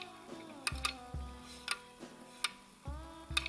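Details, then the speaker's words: Chinese pit bike with the case split, clutch and flywheel off, in neutral: sharp metallic clicks and dull thumps as the kickstart lever moves, the kickstart ratchet not resetting; fix involves finding the dead spot. "that's that clicking sounds your ratchet isn't resetting"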